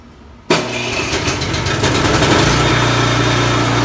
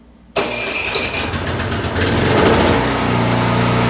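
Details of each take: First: Craftsman snowblower after bent impeller repair and reassembly: engine catches and runs steady and even, no knocking or scraping from the auger side; normal running. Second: Craftsman snowblower fires up and settles into a rough clattering run with uneven bursts when the snow-throwing mechanism is engaged; bent impeller blade striking as it spins.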